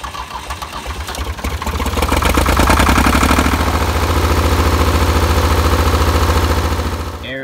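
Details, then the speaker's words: Diesel tractor restarted after running out of fuel. The fuel filter, high-pressure pump and injectors were bled, and it took about 20 cranks. It cranks, catches and settles into a lumpy, uneven clatter as air still in the fuel lines is run out. "so you want to run it until all that air is out so as you can see it's a lot harder to get the tractor started again then a gasoline engine whenever you're on a diesel out of fuel"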